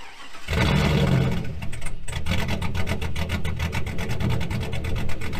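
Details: 2000 GMC Sierra 5.3 V8 with Texas Speed Stage 3 truck cam (.550/.550, 216/220, 112 LSA) just flashed back to factory stock tune; cold start catches quickly, settles into deep, choppy, loping uneven idle.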